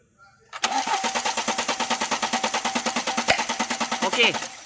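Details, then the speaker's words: BMW X3 with a cylinder 2 misfire during a compression test: the starter cranks steadily at about one beat per second with no uneven strokes. Readings are around 200 and compression is fine, so the ignition coil will be replaced. "wait. So, the pressure seems to be fine."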